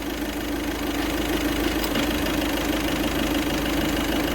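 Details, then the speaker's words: VW Vento turbo diesel after injector knock fix, idling with AC load: settles to even idle, steady light clatter, no heavy rattle; the earlier tractor-like rattle under AC is gone. "ਜਿਵੇਂ ਪਹਿਲਾਂ ਹੀ ਕੜ ਕੜ ਕੜ ਕੜ tractor ਵਰਗੀ ਆਵਾਜ ਸੀ ਉਹ ਸਹੀ ਹੋ ਗਈ ਆ"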